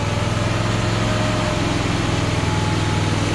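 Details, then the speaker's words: Craftsman ZTS 7500 50-inch zero-turn mower, V-twin-sounding engine restarted on choke. Steady, even putter with no misses or knocking; healthy idle, though running voltage check afterward shows it is not charging. "Sounds kind of like a V-twin. Why do they have so much trouble idling sometimes? Sounds pretty decent."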